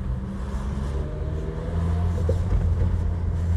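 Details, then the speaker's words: Suzuki Grand Vitara part-exchange with thicker oil added, deep low-rev rumble with an irregular stumbling beat: misfiring at low revs and off throttle, better at high revs, and it has cut out while driving; cause unconfirmed. "oh yeah so it's better at High revs but these lower revs you can hear"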